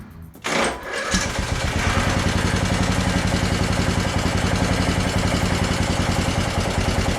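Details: Craftsman DLT3000 lawn tractor, hard to start, jumper battery at about 12.38 V: fed directly at the starter, it cranks briefly, fires right up and runs a steady thumping idle. The engine is sound.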